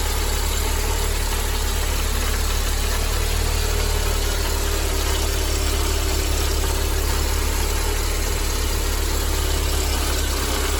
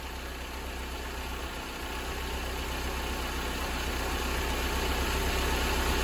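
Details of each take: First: Mercedes-Benz 190E W201 2.0 (M102) at idle: a steady, gravelly rumble from a worn-out belt tensioner; the tensioner, damper, adjuster bracket and belt were replaced, after which the noise was gone. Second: Mercedes-Benz 190E W201 2.0 L M102 petrol engine idles smoothly and quietly after replacing the worn belt tensioner, damper, adjuster and belt; earlier rumbling noise gone.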